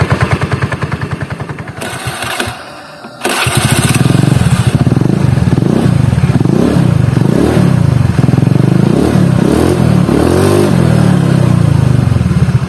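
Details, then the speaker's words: Honda Beat carburetted scooter after CVT teardown, fixing rough CVT noise at low rpm: starts and revs in smooth waves with no helicopter-like flutter, belt drive now sounds healthy. "udah nggak ada suara helikopternya lagi"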